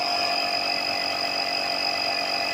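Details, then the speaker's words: 1969 Chevrolet C10 front air ride install, wheels back on: compressor runs a steady high whine with constant hiss, no pitch change, filling the air bags normally. "So, and then I'm gonna leave it. Well, I can hear the bags getting filled up for sure."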